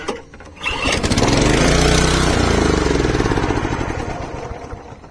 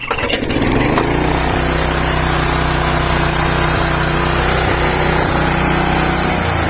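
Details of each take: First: 32-year-old Honda HR214 lawnmower on full choke: pull-start catches, runs a few seconds at a fast, even beat, then dies; starts then stalls, owner suspects carburetor float bowl slow to fill, earlier suspected fuel filter. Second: Honda HR214 lawn mower, owned since 1987 (about 32–35 years old), on choke after a new fuel filter, new spark plug and carburetor jets cleaned of rust flakes. It starts on the pull and runs steadily without cutting out: normal running after the repair.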